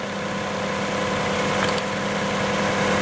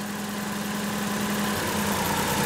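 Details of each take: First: Toyota 3.0 3VZE distributor engine at idle: RPM stays steady when the number six plug wire is pulled, showing that cylinder is already dead; fault lies between wire and spark plug or elsewhere in the engine. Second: Toyota 3VZE 3.0 V6 (1990–1995 4Runner/pickup, distributor) idling; pulling one distributor plug wire drops RPM, showing that cylinder fires properly, unlike number six which gives no change.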